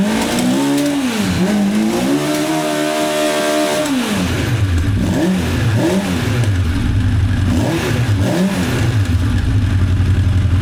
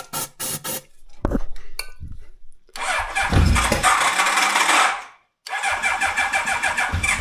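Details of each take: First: 1985 Honda CB1100F four stored about 20 years, after carb clean, air filter removed, choke stuck open: revs climb and fall smoothly back to a steady idle each time; owner notes bucking around 6,500–8,500 rpm. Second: 1985 Honda CB1100F stored about 20 years, first start after carb clean and fresh fuel: starter churns, engine catches and revs to about 9,500 rpm, bogs briefly once, then revs cleanly; owner thinks it needs running to clean up.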